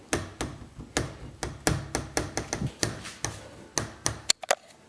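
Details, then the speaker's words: 2012 Jeep Wrangler Rubicon Unlimited: sharp, hollow knocks, about three a second, from behind the driver's seat each time the rear door handle is pushed in slightly. "pushing in and out. It's kind of the knocking sound I'm hearing from the back. I don't know what the hell it's hitting."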